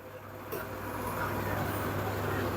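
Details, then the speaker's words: 2023 Samsung heat pump dryer after repair of thumping noise and drum sticking, back cover refitted so the blower no longer touches: low steady hum rises and holds evenly, no thumping or rubbing; running smoothly and normally. "now dear friends I already completed my job the machine running very smoothly without any noise"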